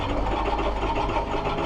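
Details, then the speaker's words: Ford F350 diesel with a dealer-installed new engine and an ongoing cold-start problem, cold weather, glow plugs cycled; lumpy, uneven running with an irregular knocking beat and heavy smoke; rough running after cold start, cause unclear. "That's it. That's Holy smoke. That's not good. We'll let the glow plugs go one more time."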